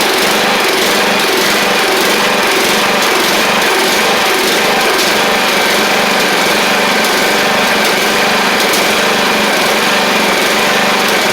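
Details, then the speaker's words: Troy-Bilt Pony 42X riding mower, Powermore single-cylinder engine, after carb reinstalled and treated with WD-40 and carb spray: uneven buzzing with stumbles and surges, apparently shot out junk; leaking carburetor needle and seat. "well it ain't perfect it is running though like I said it looked like it shot a bunch of junk out of it though"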